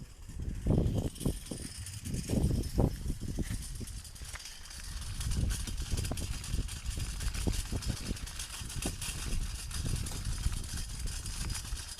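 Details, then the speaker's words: Light unloaded trailer towed on the road: irregular light metallic rattling over rolling road rumble, rising over bumps, from loose split pins at the hitch; owner plans to hold them with a bungee. "the only way I know it's there is cuz uh the split pings rattle as you'll hear in a minute so I'm going to run a bungee or something across the split ping just to hold them stop them from rattling"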